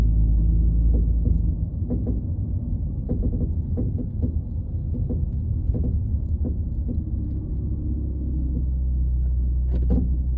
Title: 2014 Dodge Charger making a clunking noise after driving for more then 15 minutes at slower speeds.